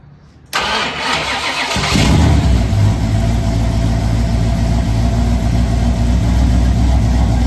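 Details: Rebuilt supercharged V8 in Ford Falcon gasser after Drag Week failure (broken lifters, rockers, pushrods), test start without radiator: starter whirs, catches within a second, settles into deep, even, lumpy idle with no knocks or ticks.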